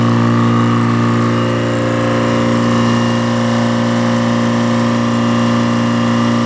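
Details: Detroit diesel that sat a long time, fuel air bled, just started and warming: smooth, steady idle with an even low drone, no knocks or stumbles; oil pressure up, charging a little, no smoke, belts loose; normal idle.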